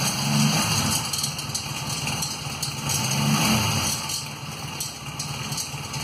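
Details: 1994 Honda Magna at uneven idle with a fast light rattle and thin metallic chatter from a broken front cam chain tensioner.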